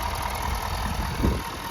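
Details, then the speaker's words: 2022 Ford F250 Limited 6.7 L diesel at idle: steady, even low rumble, sounds good with no knocking or ticking. "Sounds good. No knocking. No ticking."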